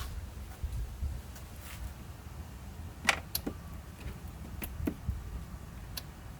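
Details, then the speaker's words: Husqvarna YTH24K48 riding mower with suspected fuel delivery problem, engine off: a handful of sharp, light clicks as the key is turned to first position; carburetor anti-backfire fuel solenoid working normally. "i definitely hear it clicking on and off as i turn the key here so the anti-bike fire solenoid appears to be working"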